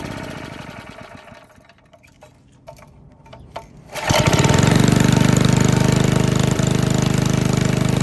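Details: 1951 Briggs and Stratton 6B-SF, 1.75 hp, rated 3600 rpm, barn fresh, governor spring readjusted: a few pulls and knocks, then catches and settles into a steady, even putter with no misses or surging; normal running.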